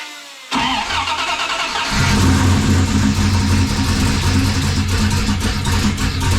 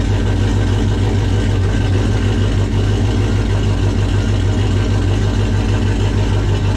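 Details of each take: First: 1995 5.9L Magnum V8 in a 1951 Dodge one-ton, new Comp Cams camshaft and 60lb injectors: lumpy, uneven idle with irregular stumble; misfire, two passenger-side cylinders not firing, plug wires cooked by heat. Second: 1995 Dodge 5.9 Magnum V8 in 1951 Dodge dually with new Comp Cams Xtreme Energy 20-746-9 cam, 60lb injectors, GT45 turbo: deep, steady idle around 850 with mild lopey chop instead of stock smoothness, firing evenly on all eight.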